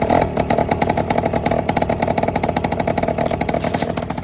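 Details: Honda Express 2 scooter, 60cc big bore two-stroke, after tuning, restarted after sitting a couple of hours: crisp, even putter with rapid steady firing and no misses or bogging; idling cleanly.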